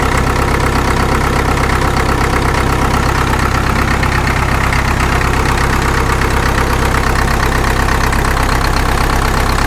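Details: Caterpillar D2 #5J1113 diesel after replacing the leaking number 4 injector with another: steady, even idle with a regular low chug and no stray pops; intermittent pop gone, running cleanly.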